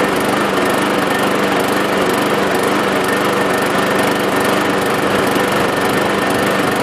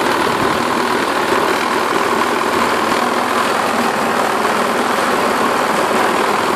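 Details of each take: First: 550 walk-behind mower with cleaned, washed-out air filter and replacement Craftsman blade: constant even buzz with steady pitch, no surging or misfires; owner may still check the carburetor diaphragm later. Normal running. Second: Self-propelled 550-series lawn mower with plenty of oil, blade looks straight and balanced: harsh, buzzy, rattling drone, excessive vibration with the cause unconfirmed (owner suspects the self-propelled drive or its belt).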